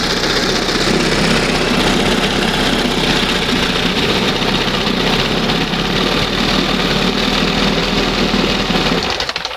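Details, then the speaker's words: 1971 Johnson 20 hp two-stroke outboard restarted with throttle just past the first mark after idle mixture and stop-screw adjustment: even, buzzy low idle with steady firing, no misses, then shut down; normal idle. "That's not bad."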